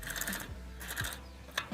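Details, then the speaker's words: Bicycle rear wheel with a cup-and-cone hub, a bent, wobbling axle and a worn freewheel, spun by hand before conversion to a sealed-bearing hub: uneven ratcheting clicks and a gritty rasp in bursts. The freewheel is worn and is to be replaced. "यह common problem है free wheel system में और मेरा free wheel भी खराब हो गया है आप इसका एक बार साउंड"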